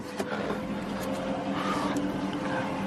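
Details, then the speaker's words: 2007 Chrysler 300C 5.7 Hemi at idle: steady high whine over low engine hum at constant pitch; battery light on, radio cut out, voltage falling to about 12.5 V, bad alternator. "I don't know if you hear the whining noise but that's probably a bad alternator"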